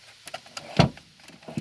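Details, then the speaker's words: 1981-1985 Ford EXP/Escort after 12 years of storage, with mouse nests cleared from the fan box: one dull hollow thump with light clicks as the heater box shutter door between the heater core and A/C evaporator swings over, normal. "hear that thumping that's opening and closing a valve or a shutter door between this the main air compartment and then the heater core and the uh the ac evaporator or core whatever whatever you want to call that"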